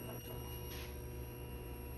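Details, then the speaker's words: Suzuki GSX-R 750 with a no-start, fuel checks: at key-on a quiet, steady low buzz for about two seconds. The fuel pump primes normally, but a clogged rail or injector is not yet ruled out. "okay, awesome. So our fuel pump is working."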